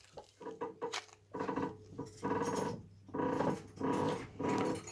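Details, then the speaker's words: Audi 80 B4: repeated creaky tonal squeaks when turning the steering wheel, traced to a worn anti-roll bar link; new link fitted and squeak checked again after replacement. "Вот, друзья, поменял стойку стабилизатор. Сейчас увидите, что дело было в ней. До этого был скрип при повороте."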